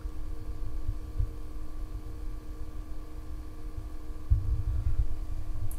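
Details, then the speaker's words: be quiet! Dark Power 12 750W 80 Plus Titanium power supply idling in a system with an RX 470 and an i5-6400, shotgun mic about 4 to 10 inches away: very faint steady hum and soft whine, fan on but barely audible. Normal idle. "Now you guys can hear the idle fan noise. I have my shotgun microphone like 4 inches away from the power supply right now. Right now like around 10 inches. And yes, the fan is on, but you can hardly hear the fan."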